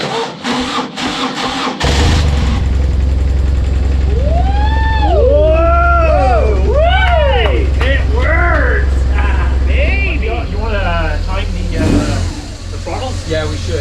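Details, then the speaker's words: BMW HP2 1200 cc boxer motorcycle, first start after over a year of repairs; catches and settles to a steady low idle, throttle blips rising and falling cleanly, even running with no knocks: normal running after first start. "how's it run for over a year yeah I'm bad not bad at all"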